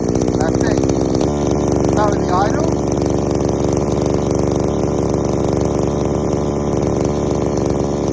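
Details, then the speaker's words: Two-stroke strimmer, warmed up and held at a steady high speed: a slightly uneven, burbling buzz. The high-speed mixture screw is set way too rich, before tuning. "uh so a couple of things way too rich on the high so screw beforehand it was a bit too rich"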